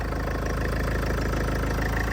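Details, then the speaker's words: Range Rover (salvage auction car) after front-end rebuild, just after first start: smooth even low idle, steady hum, no knocks, ticks or hunting; started loud then went quiet, healthy. "that sounds brand new that did you hear like it started off a little loud but then it went really quiet"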